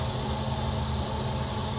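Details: Woodway treadmill after incline calibration, run at incline: steady even motor hum with smooth belt noise, no knocks, squeals or surging; incline working normally.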